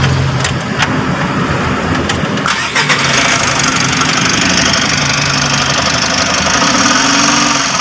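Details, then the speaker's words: Mitsubishi L300 Euro 4 diesel van cranks and settles into rough idle with a steady rumbling whir from the alternator's worn bearing. "ah maingay yung alternator niya dito guys sa alternator na to dito guys sa alternator na' ah kalimitang Bumibigay rito yung pinaka dito sa ibabaw niya na bearing yan"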